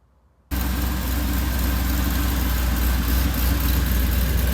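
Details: Supercharged Oldsmobile Cutlass, just rebuilt with a cam swap, new seals and gaskets: it catches right away and settles into a steady, deep, even idle with no ticks or knocks; it sounds healthy.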